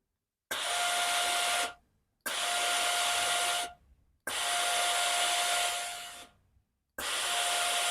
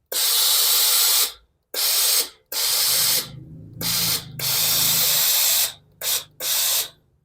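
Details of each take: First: Philips steam iron: each press of the steam button gives hissing bursts with a thin whistle, and steam comes out weaker than before though the pump works normally. Scale clogging inside is suspected, with red specks visible in the steam passage. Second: Philips steam iron that had weak steam and a groaning noise at the front, repaired by stretching a spring; after reassembly, strong, clean, evenly hissing steam bursts with no groan. Normal steam output.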